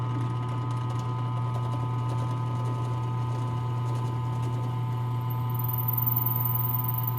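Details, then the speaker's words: Drill press drilling through wood, steady motor hum then a thin high squeak rises as the bit nears breakthrough of the hole. "I don't know if you can hear that, but it's starting to squeak. So that's telling me I'm about through the hole."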